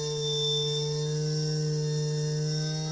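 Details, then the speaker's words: JUGS BP3 3-wheel pitching machine controller board 180-2406-0, repaired faulty motor channel, driving a test motor: smooth steady hum with an even pitch, briefly rising then self-correcting and increasing as speed is turned up; the channel works properly. "Okay, as you can see, it starts fine."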